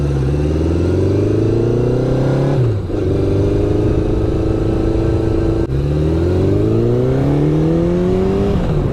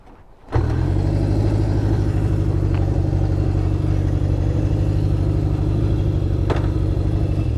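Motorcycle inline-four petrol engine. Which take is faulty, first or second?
second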